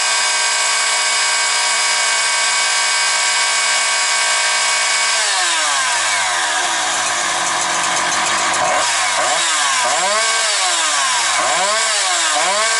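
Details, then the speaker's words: Husqvarna 365 chainsaw with a Walbro carburetor, post-sale check. A high steady scream at full throttle with no rising, falling or hunting revs, then it drops and blips back up cleanly each time. Healthy, strong-running saw. "Ну що хочу сказати, ідеально працює."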